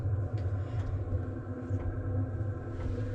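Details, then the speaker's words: Cheap Chinese diesel heater installed in 2006 Nissan Frontier, quieted: soft steady low rumble, no harsh pump ticking, about 55 dB, 20°C inside vs about 30°F outside; normal running. "that's about 30 degrees outside and we're around 55 decibels which isn't too bad"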